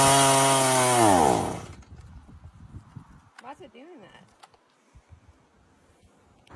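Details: STIHL MS170 chainsaw after carburetor cleaning and reassembly: a high two-stroke scream sags in pitch and dies within two seconds. A spring-loaded carburetor lever was later found bent downward and popped up slightly.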